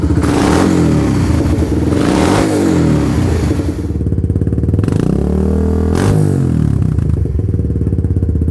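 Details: Kawasaki Lakota quad with new aftermarket exhaust, launch down the driveway, exhaust smoking as it burns something off: single-cylinder bark climbs cleanly through two hard revs and settles, no misses or knocks; loud but not too loud, pulls healthily.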